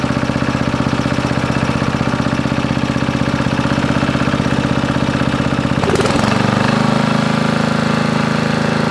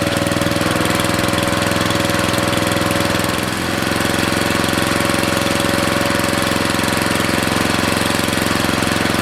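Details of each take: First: Briggs & Stratton 13.5 riding mower engine bolted to bench, gas fed to bowl, earlier flooded, mouse nest inside: single cylinder chugging unevenly about 2.5 beats a second, surging and stumbling; bogs and stops, owner suspects flooding/hydrolock or mouse nest. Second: Briggs & Stratton 13.5 cast-iron-sleeve riding mower engine, rerun with air filter back on after suspected oil in cylinder from engine tilted on its side; steady even fast putter, no misses or knocks, smoke decreasing as it burns off; good running.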